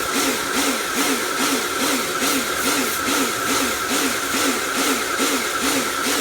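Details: Repaired Karcher pressure washer (built from B202 and K2 14 units with frost damage and motor failure), spraying: hissing spray with strong rhythmic pressure pulse about twice a second; cleans fine, cause unknown.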